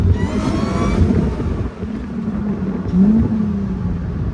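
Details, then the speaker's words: Mercedes SLK320 with M112K supercharger, now fixed and making about 13 psi boost, pull with throttle feathered as rear end kicks out: engine swells hard with steady blower whir rising with revs, then eases; normal healthy boosted acceleration. "Wow, like I literally just had to keep feathering the throttle because I would just go wait. I definitely have I need to have 2 hands on the wheels when we do this."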